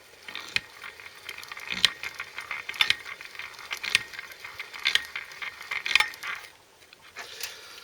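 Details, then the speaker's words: Honda CBF125 engine turned slowly: gear clatter with a sharp knock about once a second, where one raised tooth on the clutch ring gear, sprung away from its plate, strikes the mating gear. "so when it hits when it hits this gear you hit there knock yeah and it's every time that line hits the"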